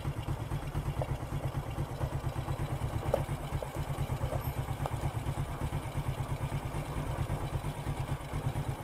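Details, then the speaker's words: Four-stroke single-cylinder motorcycle after valve clearance adjustment and idle air screw reset, earlier carburetor service, complaint of high fuel use; steady even putt-putt at about two beats a second, no ticking or clatter: normal idle restored. "Nah sudah selesai ini dipastikan sudah kembali normal"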